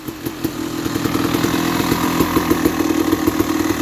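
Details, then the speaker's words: 2000 KTM 380 EXC two-stroke with PWK 38 carb and FMF pipe, rebuilt engine with few hours, first start after sitting years and carb clean/fuel flush: crisp ring-ding pulses settle into fairly even idle with blips, a bit smoky; normal idle. "a bit of a smoker give it a clean out [Music] hmm there runs alright new engine"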